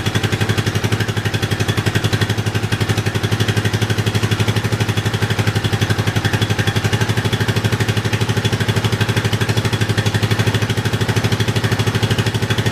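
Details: Yamaha 660 single-cylinder after carb re-jetting for a lean condition, tank loosely fitted; even steady idle thump about four beats a second, very little popping, running smoothly.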